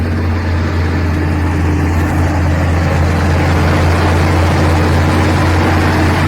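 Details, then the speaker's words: Carbureted V8 tuned for winter, choke kicked off with a throttle blip: low steady even lope at curb idle set about 700 rpm, no hunting or misfire; normal curb idle. "one little kick of the throttle and now she's down to Cur idle which I believe I set it at about 700 RPM somewhere right around there"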